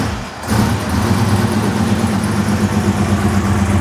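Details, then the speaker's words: Foxbody Mustang V8 (331 previously fitted), roughly 1000 hp build, just fitted with a bigger turbo, modified manifold and new downpipe and exhaust: deep rumble revs, then quick fluttering chatter on throttle lift, turbo compressor flutter, sounds healthy. "hear that flutter? That's cool."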